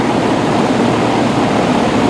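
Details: Rheem Classic 4-ton central air condenser from 2002–2003 with Copeland scroll compressor, just after first 2022 startup on a hot day, house 78°F; steady, even fan air rush with smooth low hum, no rattles or clunks; normal running.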